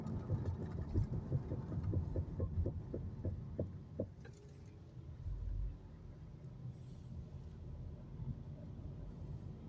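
A low rhythmic throb, about one and a half pulses a second, slows and then stops with the car; pulsing brake noise, cause unclear.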